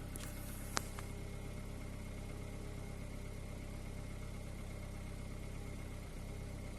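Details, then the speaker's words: 2014 Kia Cerato, which had overheated and would crank but not start, running after the intake and exhaust VVT solenoid connectors were cleaned and refitted: a steady low idle with an uneven beat and a brief stumble. One cylinder is misfiring, though the misfire counter and codes show zero. "بينزل في تفتفة واضحة في السيارة."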